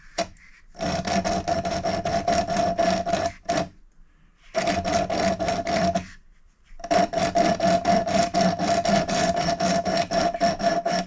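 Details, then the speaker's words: Valve being lapped into a cylinder head seat with coarse grinding paste, rotated back and forth: gritty rasping about four strokes a second, still rough; it goes quieter toward silent once the seat is bedded in. "Now what you do is you listen really carefully, and you'll hear the grinding noise, and it will go quieter and quieter to almost silent."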